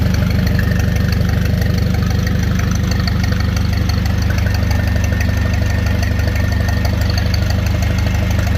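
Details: Ford 861 tractor with a new reproduction factory-style muffler on a 2-inch exhaust elbow: steady, low, even exhaust beat at about three pulses a second, no knocks or rattles: normal, healthy running.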